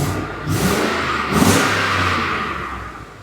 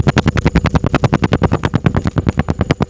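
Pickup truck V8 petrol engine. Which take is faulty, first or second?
second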